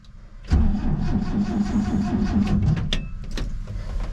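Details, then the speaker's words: 1967 Chevrolet C10 pickup being revived after a pine tree fell on its carport in a storm. It has gas, and the owner says it always starts. The starter churns steadily for a couple of seconds but the engine never fires. It cranks but won't start, cause unconfirmed. "Ugh. Of all the times for it not to start, I mean, we got gas in there."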